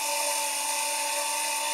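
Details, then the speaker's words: 750g electric grain mill grinding grain into flour, first three-minute run: loud steady high whine over coarse even grinding hiss; normal grinding. "you're going to hear it kind of grinding and crushing and everything initially and then once everything gets to the sound where you're not hearing any more of that and it's just running a smooth even tone"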